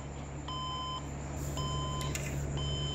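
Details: Desktop PC won't display: repeating groups of four short high beeps over steady fan hum at power-on; RAM swap didn't help; suspected dust, overheating or power supply connector, not confirmed.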